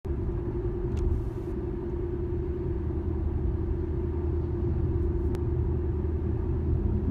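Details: 2013 Infiniti G37S coupe driving straight: deep steady hum under road rumble, starting around 30 mph and worse at 50–55 mph; dealer blamed the tires, owner doubts it; source unconfirmed.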